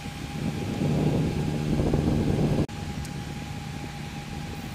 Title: Graphics Card Sounds Like A Jet Engine | #shorts